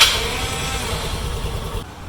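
Engine fires with a sharp burst, then settles to a steady, fading putter; starts and runs normally.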